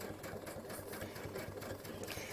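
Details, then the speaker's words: Brother/Babylock sewing machine with digital dual feed foot, open toe foot fitted, stitching at speed: fast even chatter, the belt squeak heard at slow speed gone, normal. "when you sew slow you might be able to hear that little squeak that's totally normal that's just the belt it's going really slow when i speed up that noise is going to go away"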